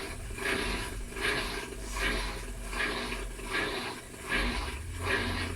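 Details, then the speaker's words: Whirlpool 19 kg fully digital washer during recalibration, done when cycles are slow or it won't spin. Steady drain pump hum with rhythmic water surges, no grinding or rattle; normal drain pump operation. "Ahí lo que es la bomba, está trabajando la bomba de desagüe."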